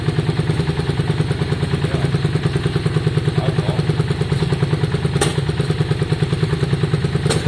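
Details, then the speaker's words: 2002 Yamaha Virago V-twin after carb and tank cleaning and new plugs, started on a bit of choke. Even loping idle around three beats a second with an occasional sharp exhaust pop or spit; owner suspects swapped plug leads changed the firing order. "Okay guys, so we're just looking, it sounds okay, but it still has that spit."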